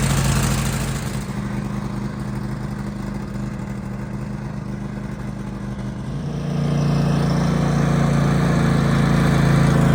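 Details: 2015 Craftsman Pro 8300 tractor, Kohler KT745, after replacing the faulty starter (new solenoid hadn't cured the whine and no-crank): starter spins cleanly, engine catches and idles steadily, no grinding or whine; normal start and idle.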